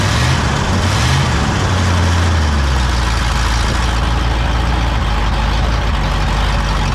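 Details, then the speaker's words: Pontiac V8 on first start with a rebuilt Holley 600 vacuum-secondary carb replacing the Quadrajet (new float valve, accelerator pump) gives a loud, deep idle that lumps and wavers before settling; high float level floods the carb with rich fuel, and timing is retarded. "running like crap. That's why. Sometimes those floats just stick. They're new and dry. Now of course it's flooded."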